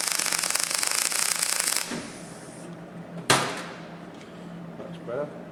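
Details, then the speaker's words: MIG welding a fabricated sill test piece after raising the wire speed; about two seconds of steady crisp frying crackle, a good bead coming through; normal MIG weld. "yeah so this one was a little bit slow that one's quite nice see it's coming through"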